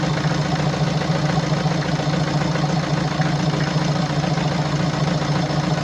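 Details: 2017 BMW 525d F10, 2.0L N47D20D diesel, 160 kW, 138,035 km, at idle: hard, uneven clatter with a heavy recurring pulse, rougher than normal, caused by defective injectors and defective swirl flaps.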